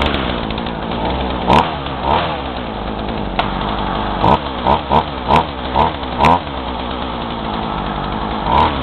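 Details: Craftsman two-stroke chainsaw, warm and run without choke on roughly 40:1 fuel mix, runs rough with sputtering surges that fall back; it bogs down, and the cause is unknown (owner wonders if the carb screws need adjusting).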